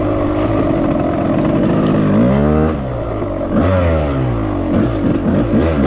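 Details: 1998 Suzuki RMX250 two-stroke, previously overheated to no compression, rebuilt with melted aluminium cleaned from a pitted cylinder not rebored: crisp rasp rising and falling smoothly through blips, clean pickup, steady return; runs healthy.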